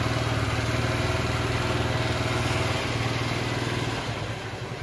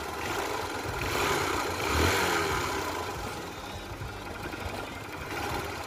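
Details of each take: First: Honda Shine bike just refitted after a full engine rebuild, started by self-starter: steady single-cylinder idle putter about four beats a second, no knocks; not yet run in, expected to get smoother; normal idle. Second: Honda Shine motorcycle, started and run: uneven, gravelly rattle over the engine note, loose and irregular under throttle; worn-out engine needing a full rebuild, also giving black smoke.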